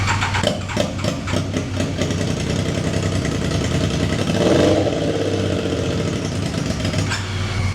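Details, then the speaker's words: Triumph Daytona 955i project bike, first run after injector work, no exhaust pipe fitted: rough, loud, raspy idle with sharp popping bursts and no muffling; harsh idle from missing exhaust, possible misfire suspected. "Before we smoke ourselves out, it definitely needs an exhaust pipe."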